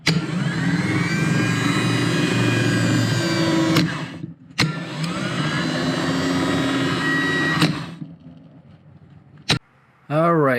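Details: Starter from a 2011 Honda Civic 1.8L four-cylinder bench-tested with jumper cables: two quick bursts of rising whine and free, even whir, stopping cleanly; starter is good, the no-crank was not the starter.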